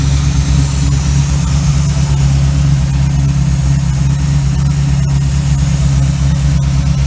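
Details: 1936 Chevy coupe with a small-block 350 V8, running after a Holley 1850-2 carburetor rebuild: steady, even low idle rumble with no misses, knocks or ticks; the rebuilt carb idles smoothly.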